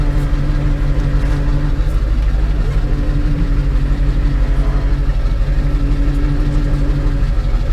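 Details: Ford F550 Powerstroke diesel, 143,000 miles, after fixing a starting issue: low, steady rumble settling straight into an even idle, no stumbling or knocking; started promptly, idles cleanly.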